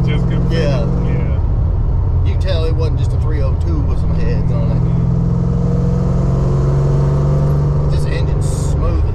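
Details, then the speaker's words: Tuned 331 stroker V8 in a GT with a smaller intake: deep, even drone cruising at steady revs under road noise, no misfire, pulls stronger than expected. "i feel stronger than what i'd expect that'll be 331 yeah it's it it feels amazing"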